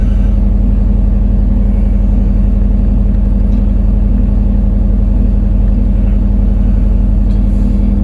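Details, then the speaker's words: 2004 Nissan Maxima that dies after running a while, with O2 sensor bank 1 sensor 2 and bank 2 camshaft position sensor codes. A steady engine rumble holds at a raised idle and is slow to come down; high idle. "i mean she really idles way up and takes her a while to start to come down"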